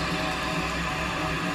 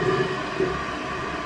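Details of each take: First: After replacing the fill valve with a Fluidmaster kit on a previously running toilet, a steady rush of water runs through the whole flush and refill, then shuts off with no hiss or trickle. The flush and refill are normal. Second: Toilet that keeps running: a constant rushing hiss as the tank refills nonstop because the old fill valve, crusted with calcium deposits, doesn't shut off; fix is replacing the fill valve.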